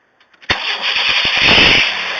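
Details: 1994 Chevrolet Astro after Seafoam, already warm from running, intermittently dies and won't restart unless fuel is sprayed into throttle body: clicks, then a short strained crank that half catches into a weak uneven run; hard start from failing ignition control module.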